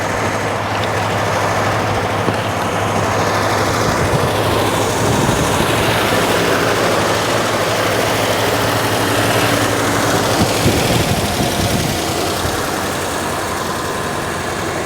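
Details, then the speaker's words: 1949 Ford flathead, abandoned in the desert since 1977 and freed from being locked up: steady, quick idle with an even beat and no dip or hunt; idle is set too high and needs turning down. "all right you want to try it yeah get that idle down it's fining too high"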